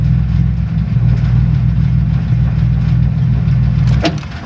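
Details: 1994 Chevy Astro van with a no-start traced to a 30A fuse-block circuit breaker whose broken brass terminal wasn't making good contact: it cranks and starts into a steady, even low rumble with no misses, the oil pressure light shown. The engine runs normally.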